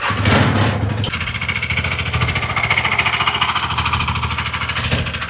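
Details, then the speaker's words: Scooter engine at idle: heavy, uneven knocking about three and a half per second; crank and piston both completely damaged, engine also burning a lot of oil. "ये जो scooty की आवाज आपने engine की सुनी ये engine की आवाज बहुत बुरी तरह डैमेज थी। इसका क्रैंक और इसकी पिस्टन दोनों ही कंप्लीटली डैमेज थे और दोनों ही आवाज कर रहे थे।"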